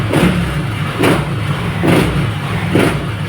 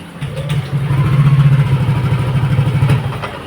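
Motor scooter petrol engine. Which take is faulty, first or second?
second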